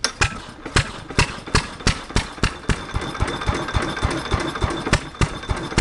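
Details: 1927 Fairbanks Morse flywheel stationary engine, water tank cooling, drip-oiled piston, already warmed so not a cold start: sharp exhaust pops at uneven spacing over a low mechanical thrum, running normally.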